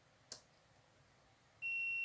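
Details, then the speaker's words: LG 32LJ510D/32LH510D TV in standby fault, 12 V, 5 V and 1.1 V rails absent: multimeter continuity gives steady high beep across 12 V rail capacitor, indicating short in the circuit or capacitors. "Lihat, alat ini berbunyi bip dua arah. Jadi, ada korsleting di rangkaian atau kapasitor di sini."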